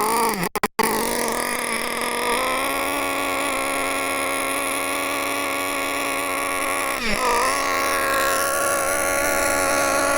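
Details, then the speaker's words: Nitro RC car engine at full throttle with the high-speed needle set too rich: high buzzing note that holds nearly flat and never climbs, smothered and sluggish with next to no power; fixed by leaning the needle further. "We're on full throttle now. That is actually full whack. Full throttle. And there's next to no power."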